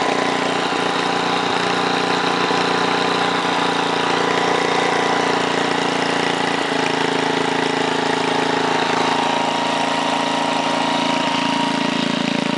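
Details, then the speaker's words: 1968 Briggs & Stratton 7hp 275cc horizontal engine restarted at 3/4 throttle, no load: steady part-throttle thrum, no knocking or surging; owner says full throttle may need a tiny adjustment but it runs just about perfect. "it sounded like it still need a tiny adjustment but of course that's under no-load so obviously once you throw it onto something it'll run even perfect but it ran just about perfect"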